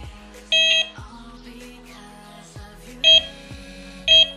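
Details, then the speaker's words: Delkim TX-i Plus bite alarm with RX Pro Plus receiver, sensitivity being lowered from maximum while the line is pulled: clear individual high beeps at about one a second rather than a continuous tone; normal alarm response. "Lo ideal es que cuando se mueve el hilo no tengamos un continuo pipi, porque si no, no nos daría la sensación de velocidad real del hilo, ¿vale?"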